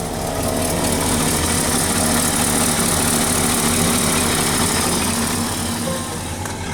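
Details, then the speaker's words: 1969 Ford Ranger cold start on a chilly morning during undercarriage and exhaust inspection: steady, even cold idle with smooth low rumble, no ticking or puffing at the manifold; exhaust sealed, no leak, normal. "Guys, we'll go and do a cold start. Let it uh rev for about a minute. Check the gauges."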